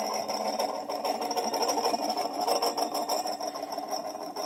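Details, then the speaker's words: Moskvich 410 heater blower motor on bench after repair for sticking brush and weak speed: commutator cleaned, brush springs stretched, old coked grease replaced; even steady hum with light buzz, no squeal or scrape; normal running. "Коллектор почистил, пружинки немножко растянул, чтобы щётки лучше прилегали к коллектору ламылькам смазочку обновил, старую закоксованную смазку убрал. Вообще шикарно работает."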